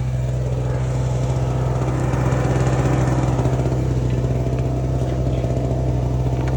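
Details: Repaired small two-stroke Chinese generator (850 W rated) powering a heat gun at about 830 W: steady, even low drone holding constant speed under heavy load, no surging or misfire; running healthy.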